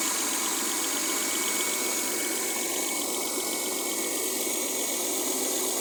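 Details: Mercedes W212 with M272 V6 at idle: light, fast clacking about three per second over a steady idle hiss, seemingly from the top end; owner unsure of the source, suspects a particular area of the engine.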